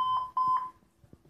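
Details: PC that won't boot, sound at power-on: two short high beeps, then only faint clicks. The machine doesn't start, and the cause is unknown without the beep chart.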